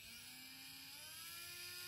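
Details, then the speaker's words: Drone brushless motor spun without propeller in a Baseflight vibration test: thin whine climbing with throttle, rough edge, heavy vibration especially at low speed; causes may include bent bell, loose magnet, lost balance weight or worn bearing. "a aussi des grosses vibrations voilà sachant que le moteur 4 il en avait encore plus"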